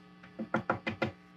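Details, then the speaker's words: Fender Twin Reverb Reissue '68 Custom, tube-by-tube tap test for microphonics after some new tubes were fitted: five light taps on the front, each dying out at once with almost no ring. No microphonics. "This one's just barely ringing. And now, if I tap around, it's basically nothing from the front."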